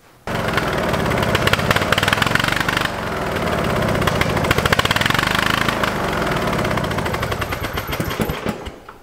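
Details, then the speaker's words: Free lawn tractor: engine screams flat out like a runaway, with loud rapid popping as if from an exhaust manifold leak, and won't idle down; owner suspects a gunk-clogged carburetor. "it is unbelievably loud it sounds like it has a horrible exhaust leak right at the exhaust manifold and it will not idle down at all"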